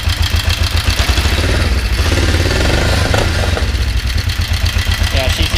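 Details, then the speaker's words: Kawasaki 454 motorcycle after starter motor refit, running rough: uneven lumpy idle with light fast tick about four per second; timing chain suspected, also thought to strain starter, unconfirmed. "you can hear the tick, tick, tick, tick, tick, tick. It's just, that's not good. So we got to have that looked at."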